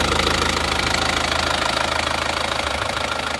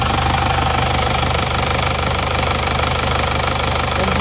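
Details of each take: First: Isuzu Panther Touring diesel from Madiun at hot idle after blow-by repair; smoother as it heats, even clatter about 200 beats per minute with no stumbles, blow-by gone. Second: Diesel car with AD plate, idling: rough loud clatter with steady pulsing chuff about three to four beats a second; heavy blow-by from worn piston rings.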